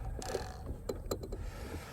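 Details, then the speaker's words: Pro Boat SonicWake V2 RC deep-V boat, 4082 1280kv rocket motor, Spektrum 160 ESC, after a hard crash with no steering: a few short gritty clicking bursts from the steering servo, no motor drone; owner suspects a stripped servo gear. "Oh, I think I stripped the gear. Did you guys hear that?"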